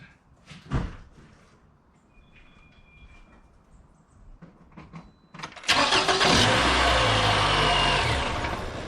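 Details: 2011 Toyota RAV4 after replacing alternator, fan belt and tensioner: starter whirs briefly, engine catches quickly and settles into a smooth, even idle with no belt squeal or chirp; battery light out, 14.7 volts; normal idle.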